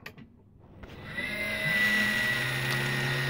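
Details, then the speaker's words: Geeetech Aluminum Prusa i3 3D printer at power-up after power supply upgrade: fan on the back spins up with rising buzz and thin high whine, rattling until touched; noisy cooling fan, quiets once running. "need to listen to this thing I've got a bad fan it's on the back if I touch it after ones up a little bit it just sound goes away"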